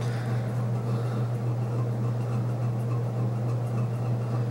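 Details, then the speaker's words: c.1980 Homestead Whisperfan II ceiling fan with a GE motor, on high speed: steady, even low hum with no wobble or rubbing. The two-blade setup seems more powerful than four blades. "but two blades is really powerful but the four blades is still powerful but two blades is more powerful for some reason"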